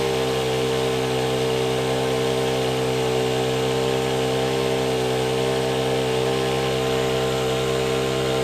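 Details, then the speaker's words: Honda WJR4025 backpack sprayer, GX35 four-stroke petrol engine, spraying; steady, even high-pitched drone holding one speed without surging or misses. Praised as soft, smooth Honda sound; normal running under load. "ถ้าส่วนตัวผมแล้วนะผมว่าเสียงมันนุ่มเสียงHondaเนี่ยมันขึ้นชื่อเรื่องความนุ่มนวล"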